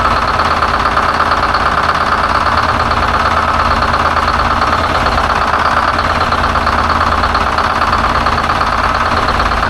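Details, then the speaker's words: 1970 Peterbilt 341 with Detroit Diesel 6V71 two-stroke, still blown up after the drive home: steady diesel idle with a rough, uneven knock at about three per second, sounding worn out; dash rewired and oil pressure leak fixed, engine still junk. "Truck is still junk, at least motor-wise."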